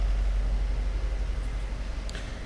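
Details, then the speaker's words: 2012 Fiat 500 with codes P0202/P0302 (injector 2 circuit open): lumpy, uneven low thump at idle from a dead-cylinder misfire, likely cylinder 2. "let's see if we can fill our misfire i'm going to pop open the hood [Music] and it's definitely misfiring sure you can hear that"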